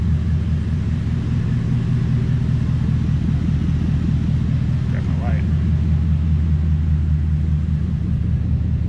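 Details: 1997–2003 Ford F-150 with Coyote V8 swap, first run after diagnosing a no-start, coolant around 200°F, radiator fans not yet coming on: deep, even V8 rumble at a steady idle with no knocks or misses; normal idle.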